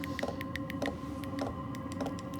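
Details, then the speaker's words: Cheap eBay diesel heater for a shed or workshop, running after the temperature is turned up on the remote: sharp fuel-pump ticks speed up to four or five a second over a steady fan roar and hum, normal operation. "so we've got that temperatures up and then it's starting to pick up pace now with a fuel pump he's getting a little bit quicker"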